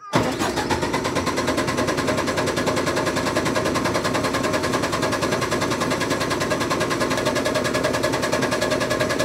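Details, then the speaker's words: MEP 1040 military diesel generator cranking: steady starter churn about 200 per minute for nine seconds, never catching; no fuel seen reaching injectors from injection pump, owner suspects the fuel pumps failed; crank no start from fuel starvation. "pretty sure I figured out why it's cranking but not starting what I did here's your incoming fuel to the injection pump I removed one of these while it was cranking saw no fuel going to the injector out"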